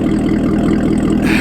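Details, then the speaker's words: C7 Corvette ZR1 V8 at steady idle after an ongoing check engine light problem: even, lumpy rhythm with no skips, no misfire heard and no check engine light showing; sounds normal before a long test drive. "everything sounds good it's not missing there's no check engine light there's no misfire that I can tell no check engine"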